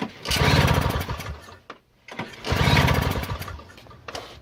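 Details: Free Toro CCR 2000 snowblower, thought to be from the 1990s, 2-stroke 4.5hp Suzuki with Mikuni carb, 50:1 mix: primed, choke out, two uneven chuffing cranking bursts, never catches; cranks but won't start, smoke suggests spark, owner suspects flooding, fuel vent valve or key switch.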